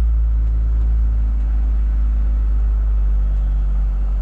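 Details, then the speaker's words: 2021 Lada Niva Travel, 24,900 km, just after cold start around -23 to -27°C, battery 11.2 V: deep, even idle with no knocks, ticks or misses over low rumble; cold engine running clean. "ну все вообще отлично слышите мотор работает ни стуков ничего все прекрасно"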